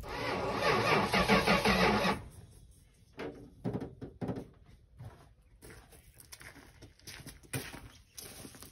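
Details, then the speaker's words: 1973 Dodge Charger, 440 big block, 727 transmission, Edelbrock 750 carb, with new fuel line, a fitted Chevy fuel tank and a primed fuel pump. The starter cranks in a steady churning beat but it never fires; cranking feels tighter in one spot. Cause unconfirmed. "I'm cranking owner and cranking on her she didn't want to start"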